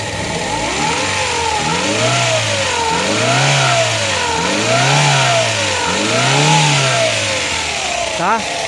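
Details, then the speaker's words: Ford Ka 1.0 Zetec Rocam after oil-light and chain-noise repair (broken chain guides, sludge washed out), oil pressure now OK: clean idle and smooth revs with no ticking or knocking, faint power steering pump whine; normal running. "Quem viu o barulho do motor antes aí, ó, vai entender agora que o barulho do carro aqui ficou zeradinho."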